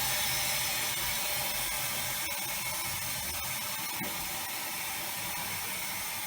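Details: Air motor used as expander in low-temperature, low-pressure steam rig for waste-heat power: steady steam hiss with light even ticking about four times a second; runs smoothly and normally.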